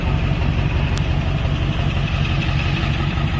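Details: 1999 Ford F-350 7.3 diesel, manual ZF6 six-speed, about 299,000 miles, engine resealed, new water pump, thermostat; smooth even diesel clatter at steady idle, no knocks; healthy.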